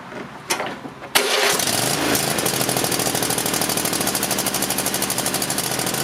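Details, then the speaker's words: Nearly new Cub Cadet XT-1 mower with a Kohler 7000 series 22 HP V-twin, throttle cable just readjusted: it cranks, catches and races to a fast high steady rev. The cable is pulled too tight, so the engine over-revs. "I think I've pulled it a little too tight so it is really shooting up when I when I stop the tractor"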